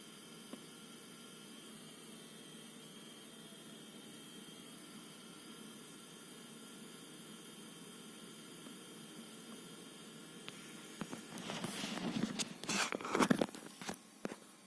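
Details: ASUS Dual RTX 2060 Super EVO OC (DUAL-RTX2060S-O8G-EVO) graphics card in Metro Exodus and other heavy games: steady fan hiss with faint high whistles, then sharp electrical crackling; coil whine and crackle under load, cause suspected.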